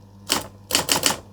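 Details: Vintage electric typewriter, cosmetically immaculate, powered through an appliance tester: crisp, even key strikes, one then three in quick succession over a faint motor hum; types cleanly and works, but the ink ribbon prints faint and is probably dried out.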